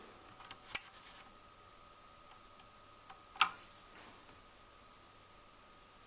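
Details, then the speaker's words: NAD 5120 turntable (Tesla NC470-based, 1980s Czechoslovakia) after servicing its noisy AC motor, deck open, spindle not yet fitted: almost silent, faint steady hum and handling clicks, no scrape or rumble; motor now runs quietly. "the point I'm trying to make here is the motor is now running and it's completely silent so I'm quite pleased with that"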